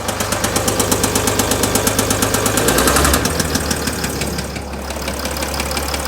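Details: 2007 Mercedes ML320 (W164) with the OM642.940 diesel: a sharp, regular knock about three per second rides over the running note and doesn't fade. Engine knock, cause unknown.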